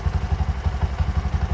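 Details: Bajaj BS6 single-cylinder motorcycle, low mileage, after repair of a crankshaft bearing noise (two crank bearings pressed in, rod and bore reused, not rebored): even idle thump of roughly six to seven beats a second, no rattle; healthy.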